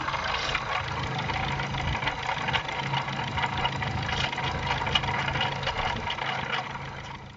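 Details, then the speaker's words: Petrol engine idling with a steady rumbling, knocking undertone from a worn water pump with a loose bearing; pump replaced along with tensioner, idler rollers and belt. "да вы угадали шумела помпа вот как у него люфт"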